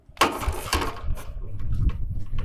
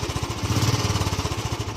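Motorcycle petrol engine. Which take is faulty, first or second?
first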